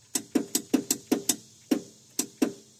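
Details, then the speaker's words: 1981 Allis-Chalmers 912H garden tractor with Kohler K301 engine, after carburetor replacement: about ten dry single clicks in under three seconds, engine never turns over; starter clicks without cranking, cause unconfirmed, owner suspects it locked up, plans to use jump box. "Let me go get a jump box. I'll just jump somewhere. You can hear it clicking."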